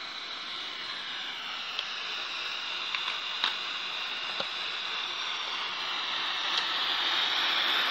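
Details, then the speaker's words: Chinese-brand TV chassis tested with a spare tube and no antenna: a steady hiss from the speaker with no program sound and faint clicks. The picture is dominated by yellow/red, and the fault was traced to an IC. "jadi suaranya desis gambar ini saya tanpa menggunakan antena ya"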